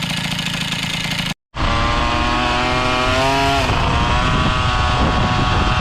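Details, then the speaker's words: Motobécane AV88 moped two-stroke with an AV10 cylinder head fitted: buzzy idle and blip with light clacking about four per second from worn variator cheeks. It happens only at idle and disappears once riding. "Donc ce que vous entendez claquer légèrement, c'est les joues du variateur qui sont un petit peu abîmées et qui claquent."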